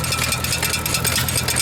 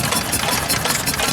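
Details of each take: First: Antique stationary small engine at a steam show, running: fast, regular metallic tapping about eight per second as a part pulls in and keeps striking the governor lever; engine still runs. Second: Antique 2-horsepower stationary engine at a steam show: even, brisk chuffing over crowd noise, no knocks or misses; a healthy, steady run.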